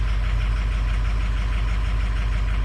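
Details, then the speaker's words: Cold start of a diesel, data logger showing injector balance/fuel compensation: low, slightly uneven pulsing idle with cylinders dropping out; number six drops, injectors three and six definitely suspect, two questionable. "sh off the compensation man kind of looks like injector hell here oh number six drop you see that right here right there number six number six is"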